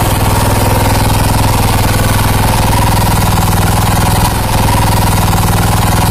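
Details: New Kubota KG55 single-cylinder 5.5 hp gasoline engine, 171 cc, 66 mm bore, running; a fast, even thump of about four per second holds steady, smooth and healthy.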